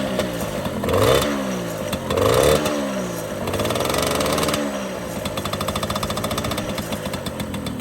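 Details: MBK 51 Club two-stroke moped, first start after restoration with a brand-new engine, not yet tuned: a few quick blips, then a steady buzzing idle with an even beat; no knocking or rattle, runs fine.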